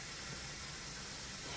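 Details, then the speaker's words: Instant Pot quick release after cooking black beans: soft, steady hiss of steam venting with no sputter or whistle. This is normal pressure release; the valve clicks and drops when done. "okay the steam is gonna come out to always make sure there's nothing on the top of the está pot we're gonna win so all the team have released before we open it and you will hear a clicking sound once is done"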